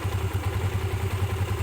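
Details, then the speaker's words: Motorcycle single, still cold, after valve clearance reset (previously ticking and weak on climbs): even thumping idle at about ten beats a second with no tapping on top, steady and healthy. "malamig pa yan pero maganda na yung kanyang idle."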